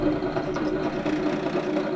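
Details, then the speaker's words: Drill press motor drone with a rough, fluttering buzz as a dull, overused countersink bit chatters instead of cutting smoothly on an RC hydroplane boat build. "can you hear it it's actually chattering so that it's it's not doing a nice smooth cut"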